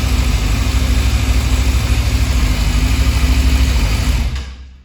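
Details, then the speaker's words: Yamaha Fazer 600 (FZS600) after new clutch plates fitted and spark plugs cleaned and regapped; even, quick exhaust pulses with a steady beat, no clutch-plate rattle, rpm needle steadier than before: normal running. "तो अभी बिल्कुल ठीक है जी clutch पेट की कोई आवाज नहीं आ रही है"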